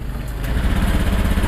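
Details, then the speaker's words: Honda Beat Pop scooter with low fuel pump pressure: low, uneven engine note that stumbles and delays as throttle opens, then dies when gassed; fuel starvation from weak pump. "oke nah jadi motor ini kendalanya saat di gas dia mati ya teman-teman"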